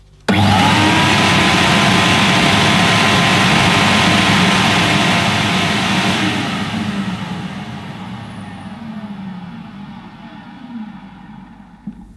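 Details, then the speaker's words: 1990-era Hoover S3850 Galaxy vacuum cleaner (base model), powering up after switch checks on a previously dead unit: snaps on to a loud steady roar with a high whistle, winds down at switch-off; motor runs but gives an electrical burning smell, motor or suppressor suspected. "Okay, well, the good news is, as you could hear, the machine powers up."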